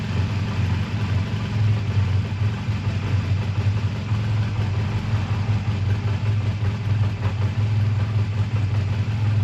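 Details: A 2001 Honda Rebel, tired but running well, idles with a steady, even low thrum and no misses, knocks or rattles, after a choked cold start at 22° that stalled once and a suspected minor fueling problem with a gas drip; normal idle.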